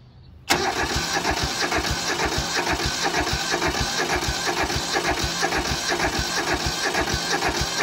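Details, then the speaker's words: Mitsubishi MT372 diesel lawn mower, new car battery, modified dash so glow plugs unusable: fires almost instantly and settles into even, steady diesel clatter with no misses or knocks; normal start and idle. "That sounded healthy."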